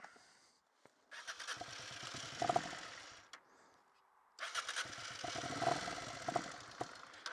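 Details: 1988 Honda NT400 Bros 400cc V-twin, ran slow and died on the road as if out of fuel; owner suspects rusty tank clogging the carbs: two cranking bursts with sputtering catches that never reach idle; cranks but fails to start.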